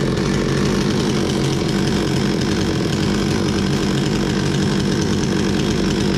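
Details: Bolat 5820 chainsaw, brought in stalling (owner told to adjust the throttle), after air filter cleaning and stop switch repair: holds a steady, raspy high idle with no stumbling or dropouts; running properly.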